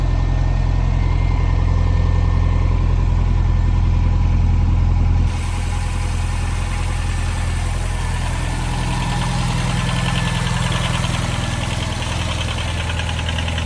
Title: 202507,Impreza STI idle test, piston slap issue?